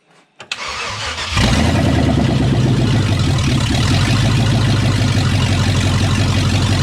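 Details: Chevy C2500 350 TBI V8 after a rebuild, stock except a roller cam, first start: short crank, then it fires and settles into a loud, deep, steady idle with no knocking.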